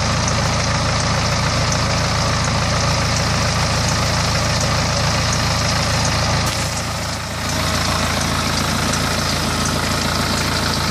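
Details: BMW E91 2008, N47D20 diesel, 200,000 km: a fast, fairly even tick, about three or four per second, rides over a steady diesel idle. The owner suspects the timing chain; not confirmed.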